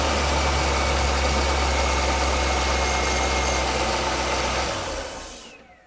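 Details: Car started during a multimeter charging test: steady, even idle hum with a smooth low throb, then shut-off; battery voltage rises, showing the alternator charging normally.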